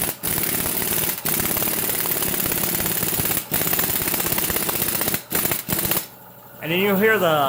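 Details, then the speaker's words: Air impact gun seating extended wheel studs on an Integra rear hub, compressor running: rapid rattling hammer bursts of a few hits a second, pausing between runs; stud seats cleanly, normal operation. "Air compressor's going to come on, so it's going to be kind of loud. You're not just hammering it in, you're kind of just wrapping it, you know."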